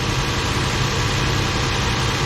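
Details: 2006 Toyota Tundra starting and idling just after a new battery was installed in place of a 4-year-old one, with terminals cleaned: a low, smooth, even idle with a steady rumble and no knocks, misses or whine. Normal idle.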